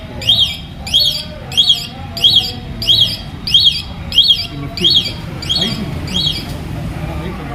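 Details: Motorbike turn-indicator buzzer, self-fitted bird-sound type: ten bird-like chirps, about one every two-thirds of a second, in time with the flasher; buzzer working properly.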